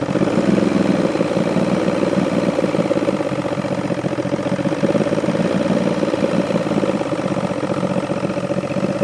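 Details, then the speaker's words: Force two-stroke outboard on a Bayliner, test run after choking and cranking with an overflowing carburetor: slow, lumpy, uneven burble barely hanging on; idle set too low, needs adjustment, cause not confirmed. "Now, do you think it's idling too low? Yeah"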